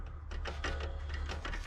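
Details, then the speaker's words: Audi A6 C6 Allroad front wheel bearing, caliper and disc removed, hub turned by hand; a light metallic rasp pulsing with rotation over a dull rumble, a worn wheel bearing that caused humming while driving; replaced with new hub and bearing. "definitely something happening here. Usually it's not making this light metal sound."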